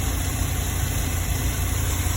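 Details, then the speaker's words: 2010 GMC Savana 1500 4.3 V6 with no-start/no-spark complaint after PCM replacement, scoping ignition module supply and drivers: steady, even low rumble without stumbles, knocks or surging; engine idling smoothly, fault not reproducing. "So all three signals look the same and look good to me. Engine is running okay."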